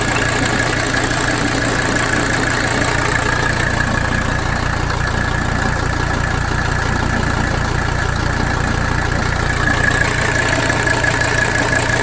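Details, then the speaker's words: 1985 Mercedes 300D diesel with a shaky, rough idle: a steady clatter of about three beats per second that wavers slightly. Lift pump fuel pressure measured 25–30 psi and bouncing normally, so the lift pump is ruled out; cause not yet found. "so that is not our issue with rough idle"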